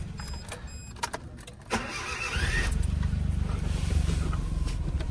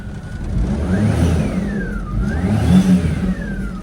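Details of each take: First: 1998 4WD (clutch possibly worn) at a Japanese auction: a few clicks, then a short whirring crank with a thin rising whine before catching to a steady idle; unusual starter noise on cranking, cause unknown. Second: Kei car at a Japanese auction, grade 3.5C, 221,000 km: clean free revs climbing and falling smoothly with even firing and no knock or rattle; the small petrol engine sounds pretty healthy.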